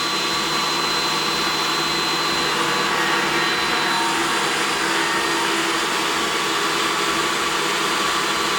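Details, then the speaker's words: DeWalt 735 planer with aftermarket spiral/helical carbide cutterhead taking a decent cut, about a sixteenth max: even, steady high-pitched whirr with no thumping or chatter; runs exceptionally smooth, normal planer cut. "you heard both of them this one or the DeWalt runs exceptionally smooth even when doing a decent cut"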